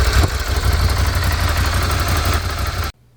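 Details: 2016 Ducati Scrambler from a total-loss auction, front and side damage, recovered theft, restarted after new battery and freed ignition lock: twin burbles evenly at low idle about three seconds before shut-off, no misfires or odd noises.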